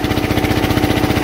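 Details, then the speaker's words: Onan 3.0 DJA diesel generator, rated 3 kW, heater load test at about 3 kW: fast, even thumping, pulling hard but holding speed; struggling, a little smoke, expected at full load. "as you saw before i mean it's struggling i mean it's holding good it's struggling a little bit of smoke okay that's expected"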